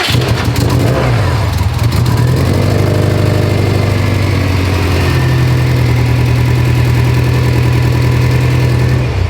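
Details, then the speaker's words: Built Subaru STI engine that ran perfectly then started missing: rough, uneven idle with irregular stumbles as a cylinder drops out; swapping coil and plug between cylinders 1 and 4 didn't move the ignition coil D code, and a cam sensor is suspected. "I'm just stumped because it was running perfect and then it started missing. Kind of weird."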